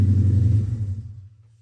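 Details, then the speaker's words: 2010 Charger R/T engine freshly installed in a 2011 Charger with long tube headers and a 6.4 intake, barely run yet: deep, even V8 rumble revved and dropping back smoothly with no knock or rattle; runs well. "so it definitely sounds good runs really good I haven't had it running very long but everything seems great"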